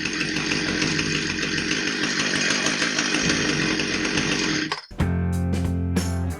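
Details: Husqvarna 460 Rancher chainsaw, brought in as a no-start, after repair and refuelled: steady, even high-pitched buzz with no stumbling or surging before it cuts off; normal running.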